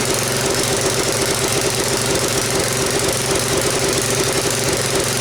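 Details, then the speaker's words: Briggs & Stratton tiller single-cylinder engine on its new carburetor, throttle up, smoking: popping, stumbling, harsh rattly exhaust, never steady; rough running before the carburetor swap. "you guys seen and heard how it ran it's not running good"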